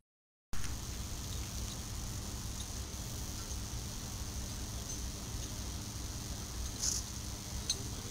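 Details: Steady hissing buzz with a low hum and occasional sharp crackles: the normal corona sound of an energized 220 kV power line during bare-hand live-line work.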